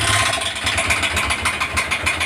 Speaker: আপনারা শুনতে পাচ্ছেন ইঞ্জিনের আওয়াজটা খুব খারাপ। আমরা এই প্রবলেমটা সলভ করার চেষ্টায় আছি এবং চেষ্টা করব।